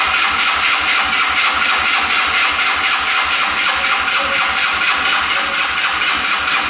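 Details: Yerf-Dog Scout 4x2 UTV, sat outside for years, started on choke: engine runs with a ragged, lean pulsing beat about twice a second; fuel starvation, clogged filters stopped the fuel pump feeding the carb.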